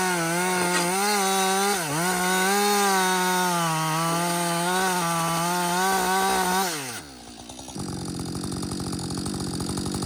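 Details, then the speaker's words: Husqvarna 562XP 60cc chainsaw, reflashed by the shop after dying when hot, not starting and stumbling, bucking dead windfall about two-thirds into a tank: steady high-pitched scream while cutting, holds revs under load, drops cleanly to smooth idle; healthy. "so far it's running great um I've got I'd say about I don't know two-thirds of a tank gone but listen this is real world practical use right 60cc saw bucking up some windfall some dead windfall"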